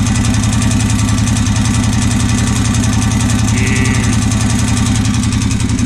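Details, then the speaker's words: Honda 650 bought as non-running; at steady idle after draining fuel, a regular rattling knock rides over the firing, sounding centered mid-engine; oil checked clean with no water; cause unconfirmed, owner fears full teardown. "H wonder what that rattling noise is that suck have to tear this thing all the way down"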